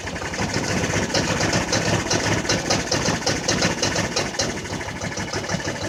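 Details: Jonway Xpressway 250cc scooter that wouldn't start at all, after first repairs: uneven, chuffing turnover with ragged firing that never settles into a smooth idle; still hard starting and struggling to run.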